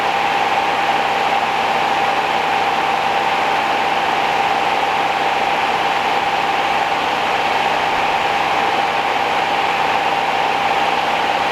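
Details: 1969 Rover P6 Series 1 3500 V8 automatic, first start after 16 years in a garage, choke used: steady, even idle, smooth hum, no ticking or tapping from the valve gear, a healthy, tight engine.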